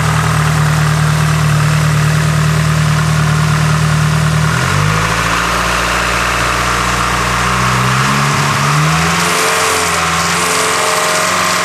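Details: Nissan S15 SR20 four-cylinder petrol engine from cold start, held at steady elevated speed then revved, weird extra noise around 2,500 rpm; unidentified engine noise.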